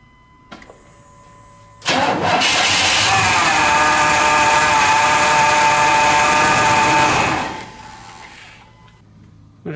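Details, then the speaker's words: 1998 Chevrolet 1500 5.7 V8, 82,000 miles: cranks and catches, steady high whine over idle stopping at shutdown; test without the belt confirmed the alternator, not accessories or idler pulleys, is the noise source. "start it up without the belt on it see how much of that noise is coming from accessories and idler pulleys Oh just like I thought that was the alternator making all that noise"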